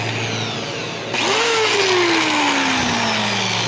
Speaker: Tiene un ruido extraño.